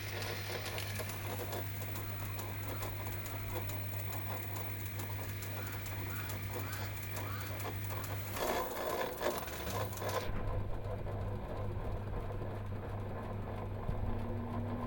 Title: SAMSUNG WASHER ROTOR GRINDING NOISE